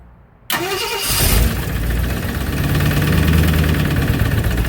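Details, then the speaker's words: 1965 Ford Thunderbird, first start during rebuild: engine cranks and catches, then a loose, uneven rattle and clank rides over the rough idle; owner hopes it is just an exhaust leak, cause not confirmed. "I can hear that rattle clank tilt. That ain't good. I want it to be just an exhaust leak."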